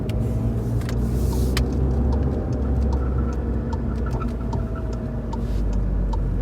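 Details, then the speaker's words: VW MK7 GTI, 5 years and 50,000 miles: scattered sharp clicks and light knocks over steady road rumble while driving, an unidentified suspension noise the owner can't diagnose; shop checked twice without finding the cause. "this second problem that i'm still dealing with is this suspension noise that i can't figure out and i don't even know how to describe it so just just listen to it for yourself"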